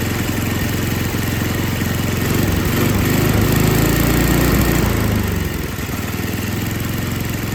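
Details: Older MTD Yard Machines snow blower with Tecumseh 5 hp engine that would not start, after carburetor was rebuilt and gasket found falling apart; picks up, holds a steady beat around four pulses a second, settles smoothly, normal running.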